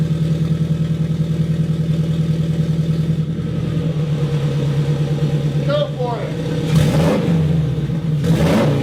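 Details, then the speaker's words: Custom turbo Scion FR-S, warm after running a while and just after fixing an exhaust gasket leak on the pipe: revs rise and settle cleanly, smooth and even, with no puffing or ticking. Normal revving. "fire it up again rev it up a little it has been running so don't yell at me for thinking it's cold and we're revving it"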